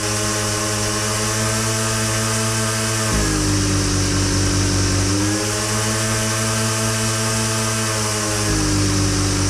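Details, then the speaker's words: Husqvarna 122C two-stroke string trimmer, carb adjustment: a steady high buzz drops in speed and burbles unevenly as the high-speed jet is richened, back and forth. Four-stroking from rich high-speed mixture. "stroking so if you are watching my hand you can see me riching up that high speed and then it's start for stroking"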